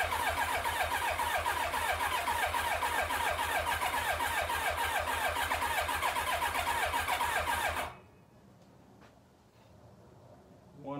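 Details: 1990 Kawasaki Ninja ZX-7R, long stored, carburetors removed so no fuel: even starter cranking for about eight seconds, never catching; crank no start from no fuel delivery.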